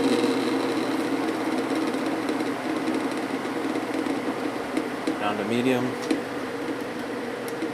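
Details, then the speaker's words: Vintage GE window ventilator fan after cleaning and oiling, running on high blowing out: soft, steady hum with an even airy rush, no rattle or bearing squeal; very quiet, with slight vibration at certain angles. "a little bit of a vibration when it's sitting at certain angles but it is super quiet now I'm really impressed with this flow probably one of the quietest fans I've ever heard"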